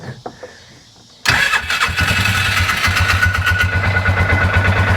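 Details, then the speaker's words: 2011 Polaris Ranger 500 after full engine rebuild, heat-cycling run while burping the cooling system: fires right up, settles into an even, slightly low idle at first with steady firing and no knocks; normal start and idle. "fires right up. It's got a little bit of a little bit of a what we consider like a low idle at first"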